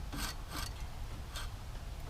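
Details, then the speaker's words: 1969 Oldsmobile Ninety-Eight convertible, 455 big block with factory A/C, sat 26 years, engine turned over by hand: dry rasping scrapes in slow bursts, owner thinks from the A/C compressor, crusty belts; engine not seized. "i think that's coming from the air compressor up here that sound oh good deal i'm not putting much force in it so fortunately she's not frozen belts are going a little bit crunchy crunch on us though"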